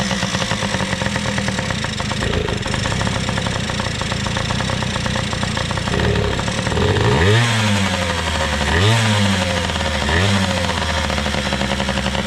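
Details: PW80 two-stroke minibike after carburetor work (OEM Mikuni carb reassembled) idles evenly, takes three quick clean blips and drops back to a steady idle; runs great, idle could be lowered a little, only the rear tire needs air.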